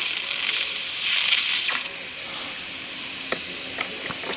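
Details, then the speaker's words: Husky (possibly Campbell Hausfeld) 17-gallon air compressor with its broken regulator-to-switch fitting repaired, motor off: a steady high airy hiss as the tank loses pressure; soapy water shows the leak at a fitting, possibly needing a rethread. "this thing's holding pressure well maybe not it's leaking from somewhere guess I need to go get me some AWA figure out where it's leaking from"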